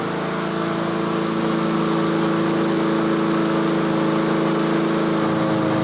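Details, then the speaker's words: Yard Machines/Yard-Man 21-inch self-propelled push mower, just started and warming after choke off, at tune-up: single-cylinder engine holds a steady high buzz at about 3300 rpm, the usual setting, no surging or hunting; normal running. "so that's the inductive attack it's running about 3300 that's where i normally set them so"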